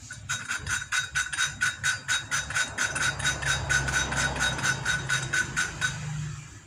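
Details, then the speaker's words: Motorcycle cylinder head with weak compression, valve lapped by hand with grinding paste: rhythmic gritty scrapes about twice a second as valve twists back and forth; seat still rough, keep lapping until sound turns smooth. "Nah, ini suaranya masih kasar. Lanjutkan terus sampai suaranya halus."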